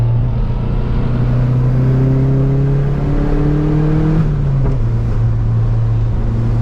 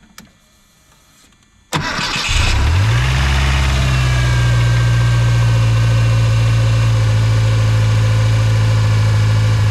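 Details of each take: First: 1986 Mustang SVO with cold air intake refitted, before swapping to a 1994-95 SN95 5.0L throttle body, hard pull toward 6,000 rpm in first and second gear: deep drone pulling smoothly with no stumble; strong, healthy acceleration. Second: 1986 Mustang SVO fitted with a 1994-95 SN95 5.0L throttle body and cleaned IAC: engine catches quickly and settles into a steady, even but high idle because the bracket holds the throttle slightly open.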